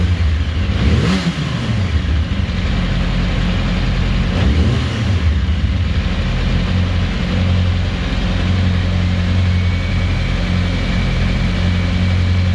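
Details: 2007 Yamaha YZF-R1 with a low idle that wavers and hunts rather than settling, plus a couple of quick throttle blips; rough unsteady idle, cause unclear.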